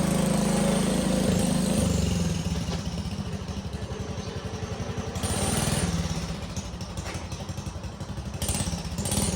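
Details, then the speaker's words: 1960 Wheel Horse Suburban 400 garden tractor, restored, Kohler single-cylinder engine, recorded from a tripod at start-up and drive-off; thumps evenly, pace easing down and back up with throttle, no knocks or misses; runs and moves normally. "Well, as you can tell, it runs and moves and idles up and down with the throttle."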